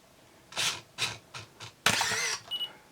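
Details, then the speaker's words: Pentax SF1n 35mm film SLR with 35-80mm Pentax-F lens focusing on a distant subject: four quick whirring bursts as the lens hunts focus, then a sharp shutter-and-wind clatter and a short high beep; working normally. "we heard it beep. That beep is a feature that you can turn off, and I'm going to do that just for the rest of our demonstrations."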